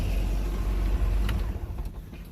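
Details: Mercruiser sterndrive after raw water pump impeller replacement, on water muffs with no gear oil yet: shifted into reverse with a clunk, then a smooth, low, even idle rumble without grinding; normal.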